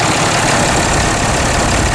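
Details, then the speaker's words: 2010 Dodge Ram 3500, Cummins 6.7 diesel, after fourth water pump replacement, warming to operating temperature: steady, smooth idle with no rattle or tapping; normal idle. "Looking good! No more rattling."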